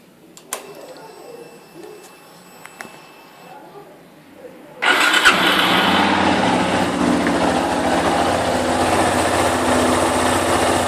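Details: Yamaha Fazer YS250 after replacing the cam chain tensioner: fires first try and settles into an even steady idle with no rattle; the previous engine noise has stopped, normal idle.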